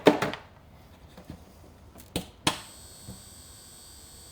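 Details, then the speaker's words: HO locomotive with no DCC decoder, on track switched to DCC power: after a sharp click, a steady high-pitched buzz holds without change; the owner warns that running it long would burn up the motor. "And we can hear that buzz. Don't want to hear that for too long because that will burn the motor up."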